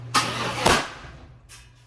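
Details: 1995 Chevrolet Impala SS, 5.7 LT-1 with cast iron heads, backfiring after the injectors were cleaned; two sharp bangs about half a second apart while cranking, then a fading rumble: backfire traced to a faulty Opti-Spark distributor.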